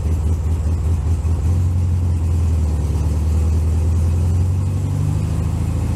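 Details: 1964 VW Bug air-cooled flat-four, cold start in snow at about 15°F: deep low chugging firms up and steadies as it warms, pitch lifting slightly midway, no knocks or rattles; normal warm-up.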